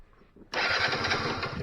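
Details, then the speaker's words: 2006 Keeway F-ACT 50 two-stroke scooter running premix, throttle cable worn: silence, then it catches at once into a buzzy, slightly uneven run once the power switch is turned on; no start was due to the power switch being off. "that right there is all i've been missing the little power switch right there so let's try it"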